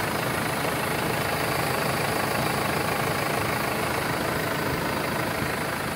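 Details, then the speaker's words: 2016 Mercedes Sprinter 316 diesel, 163 hp, L2H2 van, idling at 6 °C: steady even diesel clatter holding revs, no uneven beats or misses; normal smooth idle. "Уже похолодало, 6 градусов, держит обороты. Вот, камера, все работает. Двигатель работает ровно."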